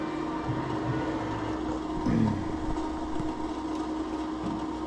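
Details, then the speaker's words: Indoor HVAC unit in a closet: a steady mid-pitched hum drones on nonstop, with a brief louder surge partway through, cycling between loud and quieter sounds all week; the outdoor unit was noisy earlier. A pump is suspected, not confirmed. Constant running noise. "H so it was just not stopping that noise was just constantly going and it'll be like a a funny sound and then it'll calm down to that and then go back to that loud sound again"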